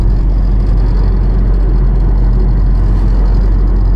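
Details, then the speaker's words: 2011 Nissan Rogue SL AWD 2.5, 167,000 miles, driving at about 40 to 45 mph: deep steady jet-like drone with no clicks, worst near 40 and felt in the steering wheel, squeak on take-off; worn staked driveshaft U-joints. "It's squeaking. Let me get a little faster out through here, and you can listen to this. Sounds like a jet rumbling."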